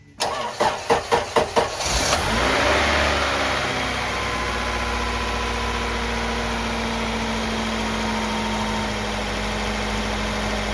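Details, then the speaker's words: Junkyard Honda Integra B-series that had no fuel delivery; about six cranking pulses, then it catches into a steady, quiet idle with no smoke or odd noises; alternator charging normally. "This thing is quiet. I mean, check this exhaust out. This don't even sound like a Honda. Hear how quiet that is? No smoking, no nothing weird."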